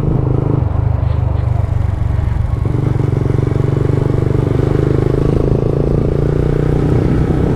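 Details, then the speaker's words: Yamaha Vixion riding: steady engine drone and road noise with no squeak from the rear suspension; earlier squeak suspected from unit-track/arm bushes. Normal. "Alhamdulillah lancar jaya gak ada bunyi ngikngikngik kayak Kus enggak ada aman jadi dipakainya juga nyaman"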